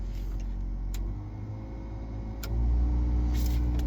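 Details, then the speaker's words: 1992 Ford F-150 after blower motor replacement (old motor had bearing play and hit loudly): smooth, quiet whoosh stepping up on every fan speed with no knocking or rubbing; blower works normally. "the fan blower motor so it's working nothing's hitting before it would have made a really loud noise noise now it's nice and quiet and it works on every speed"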